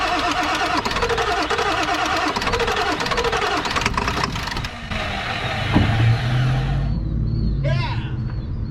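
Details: Non-running 1997 Ford F250 4x4 with 7.3L Powerstroke diesel, being revived: rhythmic starter cranking about three beats a second for several seconds, no catch; cranks but won't fire, cause unconfirmed (high-pressure oil in doubt, possible leak at petcock valve).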